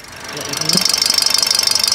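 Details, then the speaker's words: Toyota Vios 2NR petrol engine idling after overhaul (gasket work): fast, light, even injector ticking, normal from the factory and not a fault; no conrod or shim noise. "Okey untuk 2NR memang dia ada masalah bunyi injector dia itu bukan masalah. Memang dia normal macam tu."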